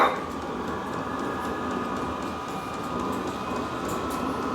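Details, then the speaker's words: Vevor 12V 8kW 17,060 BTU diesel air heater tested indoors: a steady even roar with a faint high fan tone and no sputter or surging once the blower winds up. The heater has lit, with fumes and heat coming from the exhaust; normal running. "just got to wait for the turbo to wind up the tur she has to get wound up she's coming on"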